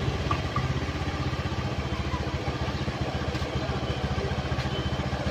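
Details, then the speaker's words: Honda Beat FI scooter that died mid-ride with sudden loss of ignition from a shorted regulator/rectifier (kiprok) and a dead ECU, now running: single cylinder settles into a steady, even idle with a quick regular beat and no misfire; running fine. "Ya, ini udah hidup ya. Yaitu tadi ECU-nya mati sama kiproknya konslet ya. Ini hidup bagus."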